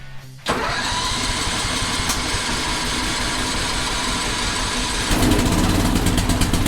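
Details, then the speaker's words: 2001 314, not started since its last appearance and expected to need long cranking; starter churns steadily about four and a half seconds before it catches and runs rough. Slow to start, cause not confirmed. "let's see we're going to probably have to crank this one quite a bit it's probably lost"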